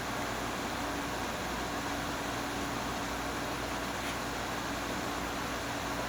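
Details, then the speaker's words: GE Profile air conditioner, a curb find that now works (plug had apparently come off): compressor just switched on, steady airy fan rush over a constant low hum, no rattles or cycling, air getting cold, down to about 69–70°F; normal compressor operation. "Compressor just turned on. Maybe it takes a few minutes for in case you restart it or something. Is it getting cold? It's getting cold."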